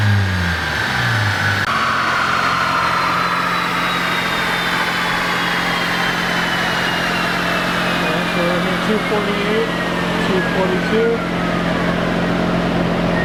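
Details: Mazda FD RX-7 rotary on the dyno, full-throttle pull: smooth rising wail, pitch climbing evenly with no flare or stumble. Clutch holding fine; the suspected problem was just the pedal.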